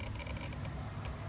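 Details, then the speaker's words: Honda Magna (1983 V65 VF1100C / 1995 VF750C) electrical power test while checking the turn signals: fast, stuttering ticking about ten clicks a second, like a relay chattering. Owner suspects the circuit is not getting full power. "It sounds like a Geiger counter. Something's not happy, not getting full power."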